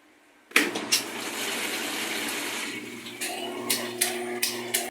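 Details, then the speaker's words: Magic Chef washing machine on spin/drain: water sloshing over a low steady motor hum that drags then cuts out abruptly; worn motor bushings stop the rotor turning freely, fixed by rebushing the motor. "esa es la falla ahí está la falla eso es lo que hace ya no aguanta exprimir ya no tiene fuerza el motor"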